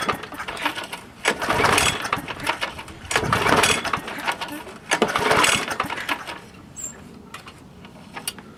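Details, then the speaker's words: Old Craftsman mower found on the roadside, primer squishing: three quick cord pulls, each a short rasping spin that dies away without firing; cranks but won't start. "No start. Let's take the air cleaner off as before, and we'll put a little gas down there."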